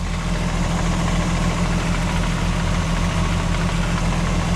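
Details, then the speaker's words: MK4 12v VR6 after water pump replacement, coolant being topped up: smooth, steady low idle hum with no rattles or marble-like clatter and no leaks seen; engine idles healthy. "Oh, smooth as butter. Yeah, absolutely smooth as butter. No more marbles, no more rattling. She's good to go."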